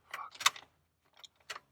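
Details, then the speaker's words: Hummer H2 on a start attempt: a few dry ticks and clicks when the key is turned, with dash lights and fan on but no cranking or firing. "goodness we gave her the beans and it didn't work"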